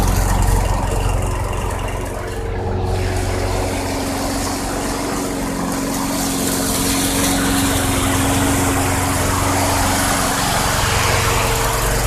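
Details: 2006 Craftsman 917.376160 push mower with 6.75 hp engine, found roadside and rusted out, running on 90-octane ethanol-free fuel: steady, even single-cylinder drone at constant speed for over ten seconds, no surging, misfires or knocking; engine great though the deck is not reusable.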